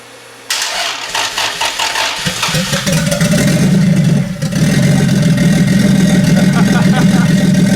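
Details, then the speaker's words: Toyota 2JZ-GTE VVT-i in Nissan S14 drift car, first fire after wiring: quick crank, catches at once, smooth steady idle with slight rev, no ticking or misfire; brief smoke at startup from water in turbos after pressure washing, cleared. "so yeah as you guys see the engine runs pretty good um you know smoked a little little bit you know it first started up and then went away"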